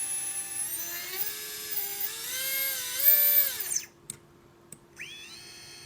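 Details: Readytosky 1804 drone motor revving after calibration: shrill stepped whine with a rough buzzy edge; bad bearing causes heavy vibration.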